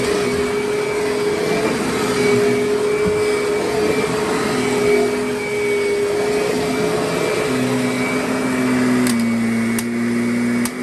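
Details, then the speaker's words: Curb-found Kirby Sentria upright vacuum, some parts broken and outer bag needing replacement: steady high motor whine with even airflow rush, no rattles, scraping or belt squeal; self-propel quiet, motor runs great and vacuums fine. "So, I mean, it sounds good, runs good, and performs as a vacuum just fine."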